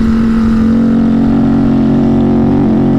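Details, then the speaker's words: Ducati motorcycle ridden after an attempted repair: the engine holds a steady drone but does not rise in pitch when throttle is added and bogs instead of pulling; the fix did not cure the problem. "but as soon as you give it a little handful of throttle it doesn't want to it doesn't no damn it that didn't solve the problem"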